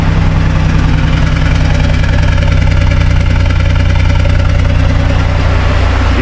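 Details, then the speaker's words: Chevy Impala that sat two years, first run after a body control module swap, no air filter: rough, uneven idle with a stumbling exhaust beat, then revved; a misfire with a smell of leaking gas. "it sounds like it's misfire feels like it's misfire smells like it's leaking gas"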